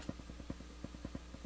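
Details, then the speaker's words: Crown CSC-850F amplifier at full volume in tape mode: quiet low hum with regular ticking about six clicks a second where only hiss should be heard; owner suspects a dirty recording bar switch, unconfirmed. "I don't know what it is. Probably coming from the recording bar switch, needs to be cleaned again. But it shouldn't be making anything. Shouldn't be hearing anything but hiss."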